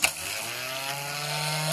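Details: Starter bench-tested by bridging the two terminals with a screwdriver; sharp snap as contact is made, then a smooth, high, even whir that holds steady as it spins freely. Normal starter motor spin.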